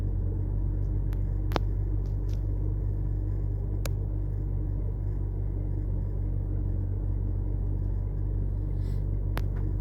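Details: BMW 325i N52 idling after a service for misfire and rough idle, with new plugs, ignition coils, VANOS solenoids, DISA valves and gaskets and cleaned injectors: steady low idle with an even beat and only faint ticks; runs smoothly.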